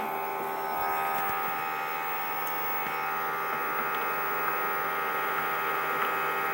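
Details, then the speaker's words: Sony DHR-1000B DV deck after swapping the failed tape mechanism: smooth, steady hum and whir with no squeal, clicking or grinding; tape transport running normally. "Ouais, ça a l'air de fonctionner. Je suis un peu rassuré."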